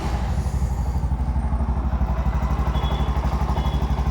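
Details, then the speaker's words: Bajaj BS6 motorcycle with 2 lakh km, engine work done; an injector not firing is suspected and is to be cleaned or replaced. Steady, even thumping about three beats per second with no knocks or rattles; a smooth, quiet normal idle. "Sound soundless ಆಗಿದೆ ಗಾಡಿ"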